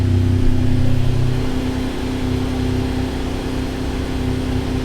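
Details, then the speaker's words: Ferrari 575 first start after DIY timing belt service, fresh coolant and oil: catches quickly, revs briefly, settles into smooth steady idle with good oil pressure, no ticking or knocking; normal idle. "these are good signs well it appears to be running okay up here so that's all good stuff"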